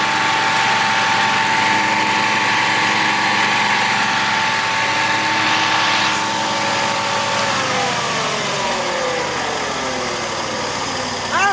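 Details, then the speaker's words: 2021 Wright Stander ZK mower, 800 hours, after hydro pulley replacement: steady high whir over engine dropping in pitch as blades spin down; spindles tight, improved but still noisier than expected, source not pinned down. "There's still some sound. Still a whirring of some sort. All my blade spindles are tight, so I mean, I think it's better. It's just still a little noisier than I was expecting it to stay."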